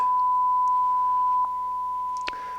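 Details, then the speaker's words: Denon AVR-1705 receiver after repair for going into protect: a 1000 Hz tone fed into the CD input plays cleanly on both channels, with no crackle, hum or dropouts. "Okay, here's our tone. And it's working both channels, I think."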